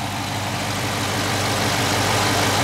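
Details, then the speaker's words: Dodge Charger Scat Pack 392 V8 just after startup: smooth, even idle with a steady low rumble and only a faint light tick; normal idle for a 392. "all right YouTube so that's what a normal 392 engine should sound like six two six four they all sound pretty much the same"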